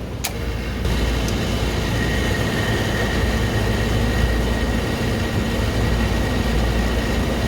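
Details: Walk-in beer cooler running too warm, started after fixing a burnt contactor connection: a click, then a steady low hum with a faint high tone as the compressor and fan start and run evenly. Flashing sight glass; refrigerant leak found.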